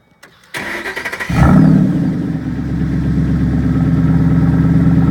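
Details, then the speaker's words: Ford Boss 302 V8 cold start with the factory restrictor plate in the side exhaust: a few cranking pulses, then it catches, flares and settles into a deep, steady fast idle. Normal, healthy cold start. "Yeah, I'm just gonna do a quick cold start here. This is with the restrictor plate from the factory."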